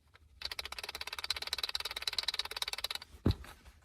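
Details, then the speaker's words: 2006 Acura TL rear deck bass rattle traced to a loose brake light clip; fast even plastic clicking, about fifteen per second for nearly three seconds, then a single knock. Fix planned with foam padding. "that noise is coming from this clip look how loose this thing is how come i didn't find this out before"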